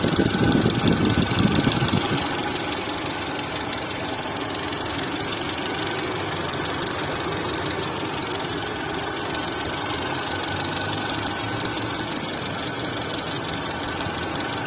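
Idling engine with a light, fairly regular ticking, roughly two to three per second, riding over the hum; points to the top end.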